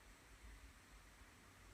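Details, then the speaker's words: New JBL Xtreme powered speaker: a faint, steady static hiss with nothing playing starts right after switch-on and stops at power-off. It is noticeable at low volume, and the owner hopes for a firmware fix. "really annoying especially at low volume when you're just kind of chilling out with some you can hear this static hissing"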